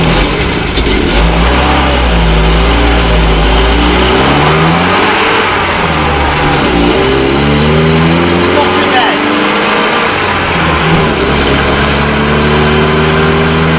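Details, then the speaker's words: 1968 Commer 2500 van petrol engine, last registered 1991, revived after sitting, idle high around 1,000–1,100 rpm, fuel leak just clamped, holed muffler: revs unevenly, sagging on acceleration as if short of fuel; cause suspected, not confirmed. "On the fuel it's a little bit better. It still acts like it's not getting enough on acceleration."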